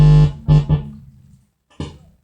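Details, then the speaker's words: Car tape head unit amplifier after repair, amp IC warm: deep buzzing hum bursts each time the input line is touched, fading between touches, showing the amplifier stage works and passes signal. "Nah, oke, teman-teman bisa dengar. Teman-teman bisa dengar suaranya kan? Ini dengungnya"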